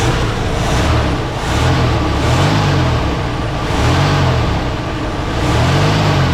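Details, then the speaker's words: 1977 Ford LTD station wagon: heavy low rumble surging and sagging every second or two, rough hunting running. No accelerator pump action was heard and the owner suspects a vacuum leak, none seen; cause unconfirmed. "maybe there isn't a there's a vacuum leak somewhere maybe didn't see anything"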